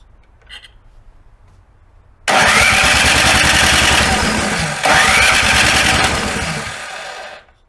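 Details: Snow blower after summer storage, carburetor bowl drained of old gasoline: quiet, then the small engine catches at once and runs fast, busy and even before shutting off; normal start and run.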